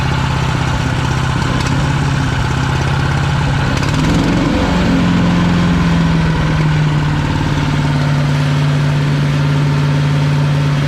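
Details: PowerMate 212cc wood chipper, pull-start single-cylinder, used once then broke with something wrapped inside: steady low beat, dips briefly around four seconds, then settles to an even idle; engine running normally.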